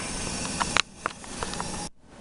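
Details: Gas oven that won't heat: the broiler is tested and its igniter warms, then the burner lights with a soft steady gas hiss and a few light clicks, burning normally. The fault is traced to the oven igniter.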